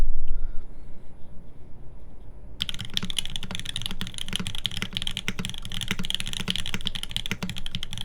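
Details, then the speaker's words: TGR Jane v2 keyboard, OP Blacks switches lubed with Tribosys on a full aluminum plate, GMK keycaps, typing test: quick, fairly even keystrokes about four a second with crisp, consistent clacks and no rattle. Keyboard sounds healthy. "This is OP Blacks on an aluminum plate."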